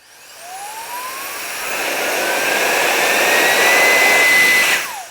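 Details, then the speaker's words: Alffaa electric air duster rated 45 mph, on its default maximum of three speeds, trigger pressed: smooth rushing whine climbs steadily to high, even top speed, then winds down cleanly; healthy blower motor. "And it speeds up."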